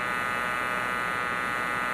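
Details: Compaq Deskpro with a Matsushita CR-588 10x CD-ROM drive: a loud, steady, high buzzing whine holding one pitch as the disc spins at speed, likened to an air raid siren; a noisy but working drive.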